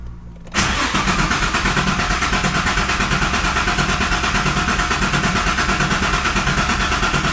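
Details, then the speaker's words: Greddy twin-turbo G35 with built engine (Eagle rods, Wiseco pistons, JWT S7 cams) before first start, starter spun to circulate oil through the oil cooler: steady cranking at about three pulses a second with even compression; normal cranking, not firing. "It sounds super healthy, sounds good. I hope that it starts and that there's no issues as far as timing and things like that."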